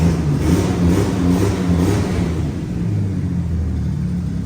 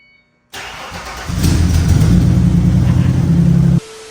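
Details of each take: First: Chassis-swapped 1965 Mustang with twin turbos, deep petrol engine revving repeatedly on the ground, with a rough, puffing edge on the exhaust note from an exhaust leak. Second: Chassis-swapped 1965/1966 Mustang started for the first time in about six months: quick crank, then it catches and settles into a deep, steady idle without misses or knocks; a clean, healthy start.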